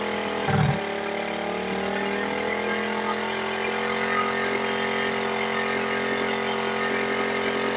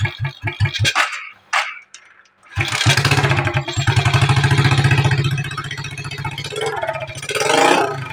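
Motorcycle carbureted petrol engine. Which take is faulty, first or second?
second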